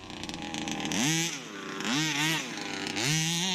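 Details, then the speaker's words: Rebuilt 29cc two-stroke engine in a Baja 5B RC car, run outdoors on ice in freezing weather: it screams up in three sharp, clean rising revs and drops back smoothly each time; crisp, strong, healthy after the rebuild. "This is a 29cc, bro. 29. This thing pulls like my king motor. So, I reckon that's a success."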